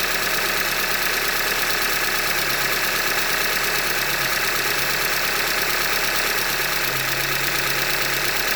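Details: 2015 Hyundai Elantra Limited, 91,000 km, idling: hard, regular knock about three per second riding over a steady idle, bottom-end knock from short block failure, a Hyundai manufacturing defect.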